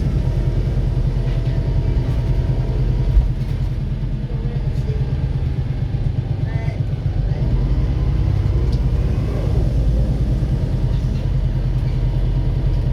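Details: Volvo B7RLE diesel bus: deep diesel drone with a steady, rapid knocking pulse running underneath throughout the ride; engine knock, cause not yet pinned down.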